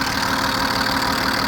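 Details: BMW E34 with M50B20 engine, warm but not yet at operating temperature: fast light metallic ticking from the top end over a steady idle; noise appears once warm despite oil changes, hydraulic lifters or injectors suspected, oil pressure test planned.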